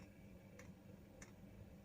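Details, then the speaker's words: Chinese diesel heater fuel pump in a Talbot Express Highlander van, after the fix (pump secured with ties so it no longer vibrates against the van side, covers fitted): only light crisp ticks about every 0.6 s, the thudding gone. "It is only a tick tick now. Tick tick. Tick tick."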